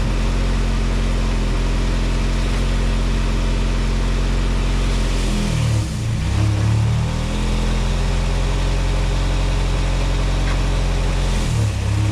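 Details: 1987 VW MK2 Jetta after a 3-speed automatic to 5-speed manual swap, garage test of first and reverse: even, low idle sags briefly twice as the gear takes up, then recovers cleanly; runs healthy with no odd noises.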